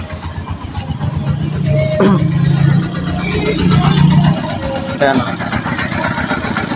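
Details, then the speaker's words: Honda TMX 125 single-cylinder idling after tune-up to cure tappet ticking: steady even thumping about four beats a second, ticking now slight versus very loud before, no click remaining; normal idle. "So Meron nga siyang konti Ayan Konti lang naman kanina sobrang lakas aos na wala pa starter to wala click ayos na"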